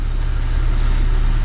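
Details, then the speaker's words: 1988 Honda Civic after ignition switch replacement: low, even idle with a smooth steady pulse, no knocks or misses; engine runs cleanly. "sounds like it's staying rain to me so sounds good"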